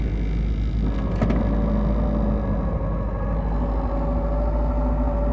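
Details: Triumph TR7 with 5-speed gearbox, warmed up and idling in neutral: a constant whirring drone appears when the clutch pedal is released and disappears with the pedal pressed. Gearbox noise in neutral with the clutch engaged; the car shifts fine.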